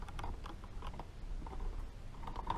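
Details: 1946 Harley Knucklehead 4-speed transmission during kicker assembly: light, irregular metallic clicks as the kick starter ratchet gear keeps catching instead of riding up and disengaging from the shaft.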